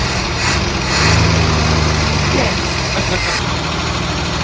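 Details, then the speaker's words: Holden Commodore, carburettor-fed, sitting 10–15 years in a wrecking yard, first start, likely needs spark plugs; loud, uneven note stumbling and surging irregularly as it clears out. Rough running after long storage. "Well, that's I'm rather pleased. It runs. It's been sitting here for 10 or 15 years."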